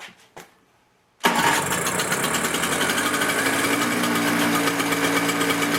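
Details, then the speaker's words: Toro CCR 2000 snow blower, season prep start after priming the carburettor, with choke pulled and key on. It is quiet, then catches and settles into a steady, even buzzing run with no misses. "take the key turn to the a condition and then we're going to start it up and see if it works also pull the choke"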